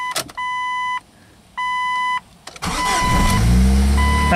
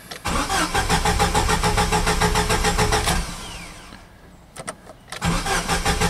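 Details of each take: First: Son's Jeep 2.5, previously a no-start, after replacing a burnt-through part: two steady chime pulses, brief starter crank, engine catches promptly and settles into even idle. Normal start. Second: Jeep 2.5 with about 200,000 miles, no fuel cap for 2–3 months, filled with premium gas: the starter cranks in even, quick pulses but it never fires. No fuel or possibly spark is suspected; not confirmed.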